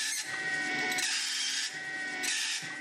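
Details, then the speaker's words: Mini mill step-drilling a clock face at slow speed: a thin steady squeal rides over the rough scraping of the drill, coming and going with the cut; the spindle drive belt is slipping under load and needs tightening. "so here we go taking it slow [Music] that's my belt slipping"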